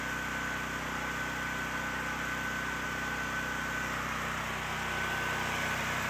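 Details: Generac GP6500 generator with COsense, after disconnecting the faulty CO-sense module that made it start then quit: quiet, even hum, no surging, misses or knocks; now runs normally but cannot be switched off.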